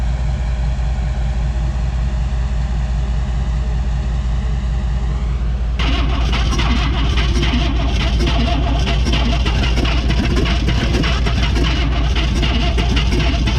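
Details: 1959 AMC Rambler Ambassador parked since 1982, three cylinders very low on compression (owner suspects sticky valves or rings), little fuel: long cranking turns into a ragged uneven lope stumbling on several cylinders.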